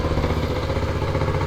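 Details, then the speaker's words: 1979 Honda Trail 90 (CT90, 90cc four-speed), first start in 26 years, just revived and stinking: small single sputters and clatters at a lumpy uneven idle; rough running. "okay oh joke is on or something it likes running with the choke on yeah"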